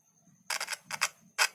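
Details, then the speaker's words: Speaker tested by touching a single cell across its terminals, no meter or amplifier: three sharp crackling clicks with quiet between; voice coil intact and working, though the cone may be torn or slightly stuck. "यह आवाज़ कर रहा है। ध्वनि केवल एक कोशिका से आ रही है। अगर आप दो लगाएंगे तो आवाज़ और तेज़ हो जाएगी। यह ठीक है। इसकी कुंडली ठीक है। कॉइल ठीक है।"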